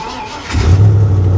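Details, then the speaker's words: Truck at salvage auction, started cold on a jump pack: short crank, catches at once and settles into a strong, even run without misses; normal start, though oil burning smell noticed afterward. "fired right up man fired right up like it's been running the whole time but sounds good"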